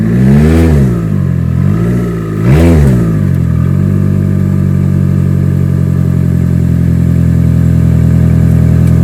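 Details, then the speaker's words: 2011 Toyota Camry at idle after two throttle blips: a loud, deep droning rumble far louder than stock; owner earlier saw the exhaust flex pipe leaking and suspects it; loud exhaust. "oh that's how she sounds right now okay so she's pretty much loud pretty much she's loud okay she sounds like a scatty sounds like a scatty with the scit pipe"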